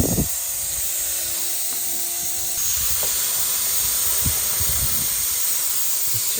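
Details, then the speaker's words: 1965 Chevy pickup built from parts, running: steady sharp hiss with spits of steam under the hood over a quiet engine, seemingly from the thermostat housing; coolant steam leak. "I think we might have a uh a leak between us and the firewall let's see what's going on I guess I gu oh hang on it's good steam"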